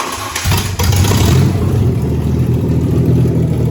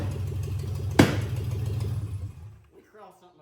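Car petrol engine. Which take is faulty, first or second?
second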